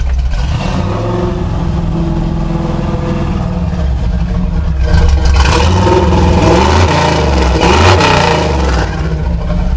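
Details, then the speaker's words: Chevy C10 truck V8, warm, after tuning carb and timing and removing vacuum advance: deep rumble revs smoothly and settles with no stutter; previously stuttered above 3000 rpm from too much advance; full throttle response now. "I seem to have all the throttle response."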